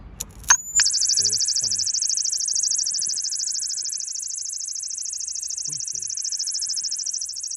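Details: BMW E46 316 automatic that had been sitting: shrill high-pitched electronic squeal starting with a click when the battery negative is connected, holding steady and pulsing about three times a second, seemingly from the engine side toward the back; source untraced.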